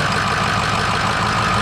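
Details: Ford 6.0 Powerstroke V8 diesel that had a squeaking, grinding noise from the belt drive, started after replacing two idlers, the tensioner and the belt: steady, even idle with no squeak or chirp; normal idle.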